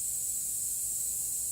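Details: 2016 Toyota Highlander tire raised on a jack while being plugged with a plug kit: steady, thin, high hiss with no rhythm, air escaping continuously through the open tread puncture; tire air leak.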